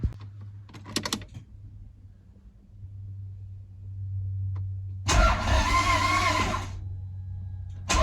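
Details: Toyota MR2 after a manual conversion, start attempt: fuel pump now primes and the coil is reconnected. About 1.5 seconds of steady cranking never catches, so it cranks but won't fire. Owner suspects timing, grounding or the damaged wiring loom; not confirmed.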